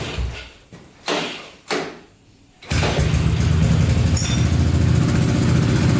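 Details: Honda Big Red ATC 200 (200cc) three-wheeler, barn find sat over 6 years, first start after carburetor reinstalled: a few pulls, then the single catches and settles into a steady, even beat with no misses; runs pretty good, normal running.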